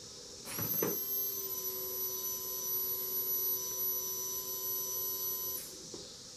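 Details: 2008 Kawasaki Vulcan 1600D fuel pump bench-tested outside the bike on 12 V DC: quiet steady high-pitched whine with clicks at switch on and off; runs smoothly, compared against a Quantum replacement considered whiny.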